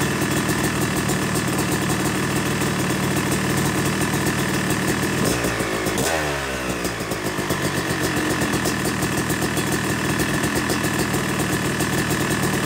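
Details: Yamaha YZ250 two-stroke motocross bike (270cc/250cc) after full engine rebuild (bottom end, transmission, bearings, clutch, power valve), second start-up after cooling, warming to about 100–125 degrees: crisp crackly idle, one gentle blip settling evenly; normal warm-up idle.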